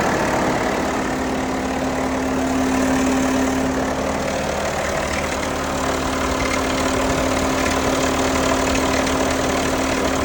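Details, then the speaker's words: 2021 Jeep Wrangler Unlimited Sahara JL 2.0L on cold start: busy metallic rattle at idle that eventually goes away; dealer replaced both timing chain tensioners (heat shield sometimes causes this noise). "Okay, every time I start the Jeep, it makes this noise. Just wondering if it's normal."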